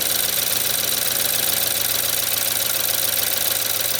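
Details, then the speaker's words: 2014 BMW 320i F30 with N20 engine, electronic-wastegate turbo, cold idle before turbo rebuild: fast light metallic rattle of loose wastegate flap, three or four ticks a second, easing as it warms; drivetrain malfunction light on. "After about a minute, it should close. Now it's warming up and starting to rattle less."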